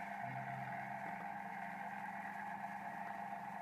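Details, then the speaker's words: Lakshmi wet grinder that made noise and wouldn't run: after repair and belt seating, tested before the outer body is refitted. A quiet, even motor hum with no scraping, knocking or belt squeal: it is running normally with no problem. "பாருங்க நல்லாதான் ஓடுது எந்த பிரச்சனை பிரச்சனை இல்லை"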